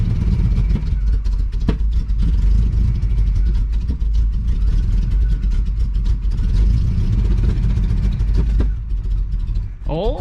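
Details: 1980 Chevrolet Cutlass scrapyard car: rough uneven churning with irregular pops as it tries to catch then dies; suspected fuel pump not delivering or priming, or bad old gas or brake-clean spark knock.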